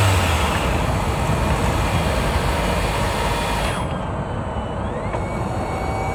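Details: 2024 Hyundai Tucson NX4 Hybrid, microphone mounted directly on top of the engine, petrol engine under load climbing a hill, before inspection: rough, dense rattle over the loaded drone, faint electric whine shifting midway; cause unknown, some claim normal; engine rattle under load.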